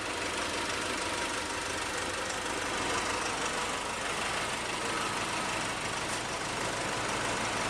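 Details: 2008 Nissan Navara D40 2.5 common-rail turbo diesel idling with uneven, lumpy clatter, one cylinder dropping out; came in running rough, heavy black smoke, no power when cold. Relative compression test even, so injection fault suspected; number 1 injector to be pulled.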